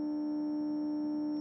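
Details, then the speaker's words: KRK Rokit 6 powered 6-inch studio monitor under repair, playing a test tone around 1.5–2 kHz. The tone carries a harsh, buzzy edge with a combined hum, possibly 100 Hz. It distorts heavily below about 4 kHz, cause not yet certain. "like some sort of combined hum in there"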